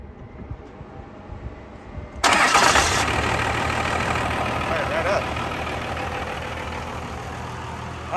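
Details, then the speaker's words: Cummins 12-valve diesel in a ramp truck after ported head, new injectors and HX35 turbo upgrades: short crank, catches at once, settles into even idle with no stumble, no longer needs throttle or black smoke; normal cold start. "it's already better so before when I would fire it up you'd have to crack the throttle a little bit and it would black smoke everywhere"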